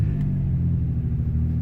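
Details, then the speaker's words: 1993 Ford Escape idling at 26°F: deep uneven rumble with a skipping beat, running on five cylinders with a #3 misfire; the ignition coil, fine for a month or two in the cold, has now failed completely. "if you can hear in the background just the skipping noise within the the motor is making been good for a couple of good for a month or two being being so cold but now that coil clothes completely failed"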